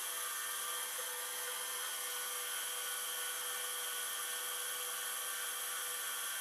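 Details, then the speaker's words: Old hard drive spinning up after being switched on; steady high whine with a rough hiss, not particularly happy but not terrible; cause of the roughness not confirmed. "The drive is spinning. It doesn't sound particularly happy, but, you know, it doesn't also sound particularly terrible either."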